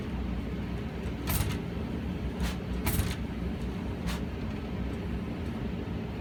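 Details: Brand-new Honeywell/Goodman furnace not heating properly: steady burner rumble broken by sharp irregular bangs, like kicking inside the cabinet. The technician blew debris from the flue drain; the noises stopped for days, then returned.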